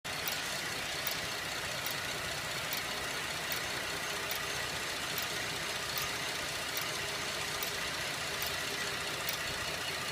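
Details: 2011 Buick LaCrosse CXL petrol engine at idle: slow, steady metallic tick, two or three clicks a second, slower than the engine but speeding up on acceleration; a stethoscope is used to locate it; engine ticking.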